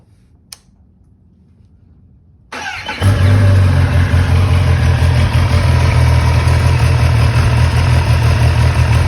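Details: 2011 Kawasaki ZX-10R (Gen 4) after fitting a PSR cam chain tensioner to fix cam chain rattle: starts first crank and settles into a smooth, even idle with no rattle or tapping; normal.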